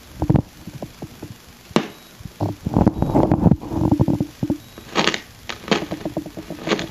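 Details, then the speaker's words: Electronic Measurements Corporation 802 signal tracer in noise-test mode, applying about 115 V DC across the part: irregular crackles and scratchy bursts as a slightly noisy potentiometer is turned, the sound of a dirty wiper. "the idea is that a noisy component will produce noise when jiggled I can demonstrate it using a potentiometer that's little noisy"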